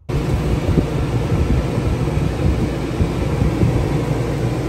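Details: Original rooftop air conditioner on a Class B RV, before being replaced by a quieter Houghton Bel Air 2800: constant heavy roar and low hum at steady pitch, far too loud; noisy AC.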